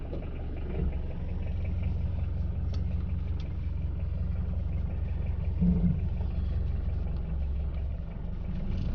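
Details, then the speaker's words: Automatic transmission driven in normal D, for comparison with L gear: steady engine rumble under acceleration with brief dips as the gearbox upshifts smoothly, normal behaviour. "Normal D gear की आवाज़ किस तरह की आएगी आपको। वो gear change कर रहा होगा लेकिन ये गियर नहीं चेंज करेगा।"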